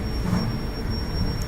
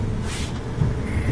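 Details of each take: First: Gas dryer whistles whenever the burner flame is lit: a thin, steady high whistle over the low tumbling rumble; usually caused by a faulty gas valve assembly, which is being replaced. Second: Gas dryer after replacing the faulty gas valve assembly that caused a whistle whenever the flame/heating came on: even low drum rumble with no whistle or squeal; running normally.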